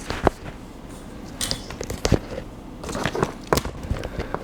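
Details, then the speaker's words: PCM-A10 recorder with external microphone on a 3.5mm jack: irregular sharp crackles and pops in bursts as the connector is moved; poor contact suspected, cleaning the jack is the intended fix. "the problem with this one the problem with this one is that it's uh it's crackling when I move the connector"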